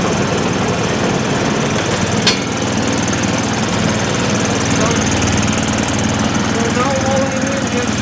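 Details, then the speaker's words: MTD Yard Machines 24-inch snowblower with Tecumseh 195 cc 5 hp engine, non-running auction unit after carburetor work, once the bowl filled and air cleared: steady, even single-cylinder putter with no hunting or surging; running normally. "Once all the air was removed and the bowl filled up completely, it was running."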